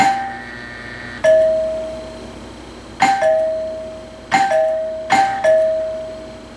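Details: Vintage wood-grain two-chime doorbell, probably 1970s, with a replaced cheap button, recorded indoors from the chime: clear two-tone ding-dong on each press, ringing cleanly and decaying evenly several times; chime works normally.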